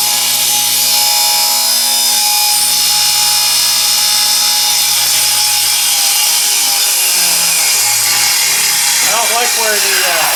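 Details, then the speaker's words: Free used table saw with a newly fitted plug, run on limited shop power: high steady blade whine holds speed through the cut then winds down; cut went well after an earlier bog, possibly from the wood pinching. "Ooh, that actually cut pretty good. That cut pretty good, so see if we can get another one"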